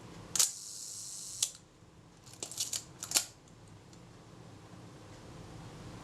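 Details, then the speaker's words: Kodak Retina Reflex type 025 camera during servicing, film advanced and shutter release pressed very slowly with the top cover held on. Each press gives one crisp snap with no separate early click; film release and shutter fire at the same point, correct timing. "I'm listening to see if I hear the film release go before the shutter pliers well it seems to me they're going it very much the same point that's just ideal"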